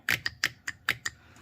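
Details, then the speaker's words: BMW N55 3.0 inline-six VANOS/VVT solenoid bench-tested with 12 V (engine misfiring, running rich, stalling): six crisp clean clicks in about a second, no buzz or chatter; both solenoids pass, on spec, not replaced. "All right, so the voltage test on this one passed. All right, so there's two solenoid here, the VANOS or VVT solenoid. They pass. It's good."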